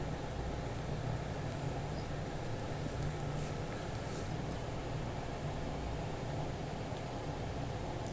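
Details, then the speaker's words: Lloyd DC inverter AC with P4 error, outdoor and indoor boards connected to compressor; after reconnecting correctly and powering on, outdoor LED flashes normally and the indoor fan motor starts: even, steady whoosh and low hum, no knocks or rattles; normal fan running. "Indoor on ஆகிடுச்சு. பாருங்கள், fan motor ஓட ஆரம்பிச்சிச்சு."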